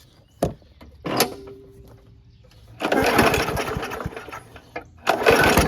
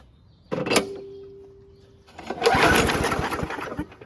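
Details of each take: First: WeedEater 21" push mower, Briggs & Stratton 500 Series 158cc, on fresh gas: catches after a few pulls, speed rising and dipping as it bounces off the governor; restart took two pulls, carb still needs going through. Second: WeedEater 21-inch push mower, Briggs & Stratton 500 Series 158cc engine, after carburetor cleaning and purge-bulb priming: catches on first pull and runs steady and even, no longer surging.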